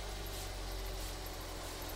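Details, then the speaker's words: Used seven-seat family car, engine bay dirty but engine dry: quiet, smooth, steady idle just after start with no missing beats or engine-mount problems; normal idle. "Hai suaranya masih bagus Hai suaranya masih sangat langsung suaranya bener-bener masih enak ya kedengarannya enggak ada yang pincang"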